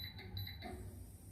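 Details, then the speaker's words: Havells Efficiencia Prime 1200 mm BLDC ceiling fan: short high electronic beeps, about four in half a second, then near silence with no motor hum; it only twitches slightly backward. BLDC controller fault, motor not starting. "చూసారు కదా అది కొద్దిగా తిరుగుతుంది back side తిరుగుతుంది. మళ్ళీ దానికి అదే cake cake కి మనే బీప్ శబ్దం రావడం"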